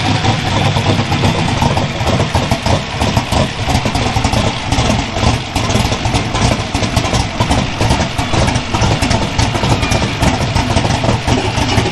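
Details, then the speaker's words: Twin GT45 turbo 468 big block with AFR 305 heads, 4500 Dominator throttle body and Holley EFI, first start after rebuild, not cold: loud, lumpy, uneven idle with busy exhaust rasp, smoking because tuning not right; rich idle, fuel pressure set low at 49 psi. "And it smokes a little bit because I don't have my tuning right."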